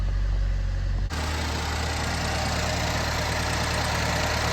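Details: Chevy HHR SS turbo, automatic, just after turbo replacement, no check engine light: even idle hum stepping up to a louder steady whoosh after a second, no knocking or misfire; runs pretty good, though a belt squeal is mentioned.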